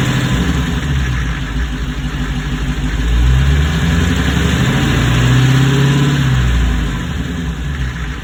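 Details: 2021 Dodge Hellcat V8 at idle with a dull, uneven knocking that thickens as revs briefly rise, diagnosed as rod knock one year later.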